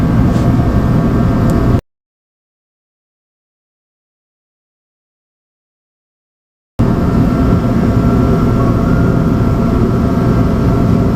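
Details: USI combo vending machine model 3155: the compressor tries to start but won't, giving a loud, steady low buzzing hum without catching; the start capacitor was bad, and after replacing it the compressor started and ran.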